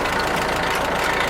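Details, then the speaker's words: Rebuilt Ford tractor idling: steady, even mid-pitched idle, no knocks or misses; runs super cool, temperature gauge barely off the 100 mark, no oil leaks, successful rebuild. "it runs super cool um the temperature gauge barely barely gets off the 100 uh line mark there"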